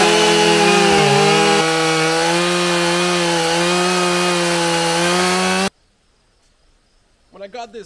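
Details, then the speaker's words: Husqvarna 572XP autotune chainsaw after the idle-adjustment tuning procedure, cutting white pine at the same test spot; high steady two-stroke scream holding pitch under load, then cuts off, running strong, cutting far better, normal cutting. "compared to the echo i was like oh it's a lot better but this thing just blew me away wow"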